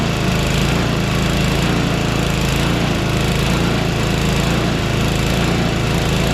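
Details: Small single-cylinder engine after a conversion, running after priming with fuel shutoff opened: steady even buzz, no misses or surging; running normally.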